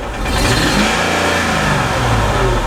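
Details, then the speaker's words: Older Mercedes AMG SUV V8, blowing heavy oil smoke and about four quarts low on oil, with a knock at idle: revving gives a coarse, uneven, strained roar; suspected piston ring issues, likely needs an engine, not confirmed. "all right so obviously this thing is blowing out a ton of oil it sounds like crap I'd have to agree with whatever shop you brought it to it probably needs an engine"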